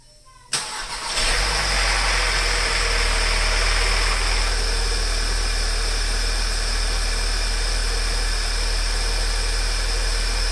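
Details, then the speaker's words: Volkswagen CC at cold start, oil level low and oil pressure light on: the engine settles into a fast idle with a light, regular rattle. Owner attributes it to a worn camshaft-driven high-pressure fuel pump on the valve cover, heard only at cold start, and leaves it unrepaired. "the high pressure fuel pump which sits on top of the Val cover and is driven by the cam shaft does tend to wear and degrade this is a normal characteristic of this year maker model so we are just going to leave it as is because we only hear it at Cole startup"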